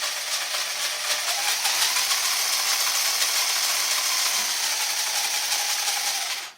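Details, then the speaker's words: RC truck after a transmission swap, with a spur gear in place of the earlier plastic one; a high, gritty whirring with fast uneven ticking that stops off throttle, as the spur rubs the shiny rim of the MIP part, noisy at the low end. "that's where it's rubbing so it's actually not very loud until you get the low end and it's kinda noisy"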